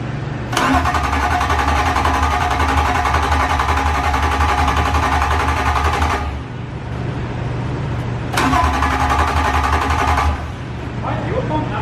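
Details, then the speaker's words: S54 engine swapped into a BMW E34, first start attempt, manifold off, fuel pump fuse just fitted: steady healthy starter churning in two long bursts, about four turns a second, no firing; cranks but won't start, no fuel. "i don't think you have fuel right now dude i don't think you feel that that sounds like no fuel so that's why it's not getting fuel"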